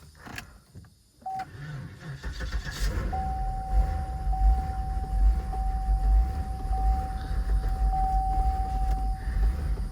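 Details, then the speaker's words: Repossessed Cadillac SRX with the check engine light on: a low, lumpy idle stumbles irregularly under a steady warning chime, running horribly. The scan shows the throttle position sensor getting no signal; its connector is unplugged. "Running horrible."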